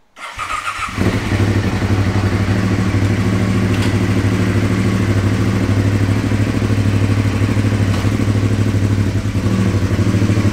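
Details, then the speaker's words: Aprilia Caponord 1200 Rally cold start with the airbox intake sleeve cut open for more air; catches at once into a loud, hollow, pulsing idle, excessive intake noise through the modified airbox. "petit démarrage à froid pour vous faire entendre le bruit avec la boîte air le manchant de boîte air découpé"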